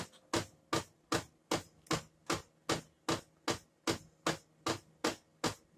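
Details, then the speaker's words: Brother DCP-7535DW laser printer running: sharp, even knocks about two and a half a second over its low hum, traced to a broken gear in the drum unit. "Hoje eu estou com uma brother aqui dcp b7535 DW e ela está com esse defeito ela está batendo"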